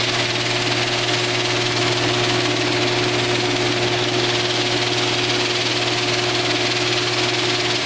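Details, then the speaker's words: Older Genie screw-drive garage door opener running: loud, steady motor drone with constant buzz that stops abruptly at the end; ridiculously loud but normal operation for a screw drive. "sorry but that is ridiculously loud those screw drive garage door openers are just notoriously loud"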